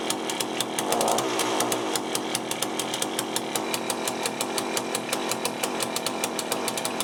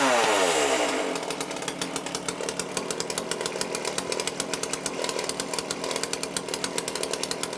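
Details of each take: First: Cheap chainsaw with a Walbro carburettor, just rebuilt with a new gasket kit, first start. Idles with a sharp, irregular rattle of thin, hesitant firing pulses after a hard start; owner suspects the low-speed mixture is too lean. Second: Cheap lockdown chainsaw with Walbro carb, after carb rebuild kit service and high/low screw fine adjustment: crisp, even high-pitched buzz with steady rapid firing after start-up, no hunting or stumbling; starts easily, cuts well, running clean.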